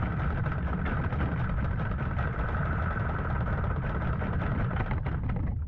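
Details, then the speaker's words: 15 hp Mariner outboard unused over two years, just started after carburettor clean, not yet warmed up: fast idle buzz with slightly ragged, wavering beat; uneven running, possibly air still in the fuel. "That's a lot. It just might be a bit of air in there still."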